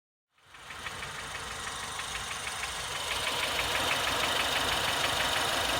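A steady, even ticking knock at about three per second rides over a hissy idle; the engine is knocking at idle.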